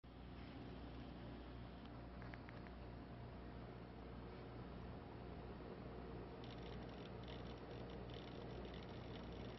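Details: Brand-new PC build with an Arctic Liquid Freezer 240 liquid cooler: a quiet steady low hum and whir with faint rustly crackle in the middle; the owner asks whether it is making noise.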